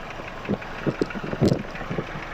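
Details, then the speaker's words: Engine with a faulty ignition coil during a coil test: an uneven idle with irregular stumbling thumps and a loping beat as one cylinder drops out. The coil gives no spark output and is confirmed dead. "เห็นไหมครับเสียบปลั๊กแล้วเสียงเงียบครับคอยเสียนะครับนี่คือคอยเสียนะครับ"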